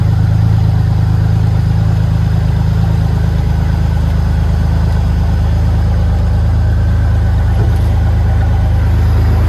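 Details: 1951 Ford F1 body on 2001 Ford Ranger V6 chassis: smooth, even deep idle rumble, no ticks, knocks or misses; healthy normal idle.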